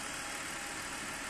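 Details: BMW E39, engine warming up after fan/viscous clutch replacement: quiet smooth even idle, no misses, knocks or rattles; running normally.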